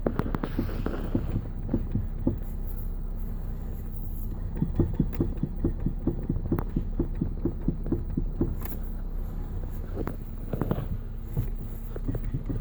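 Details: 2014 Nissan Qashqai J11; dull, fairly regular low thuds repeating from the front, suspected steering rack knock, not confirmed.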